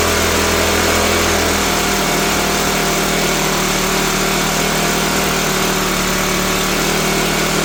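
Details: Troy-Bilt backpack blower, first cold start on full choke after primer: screams at a steady high speed without settling. Engine seems to run too fast; owner unsure how the throttle works, fuel or carburetor fault suspected.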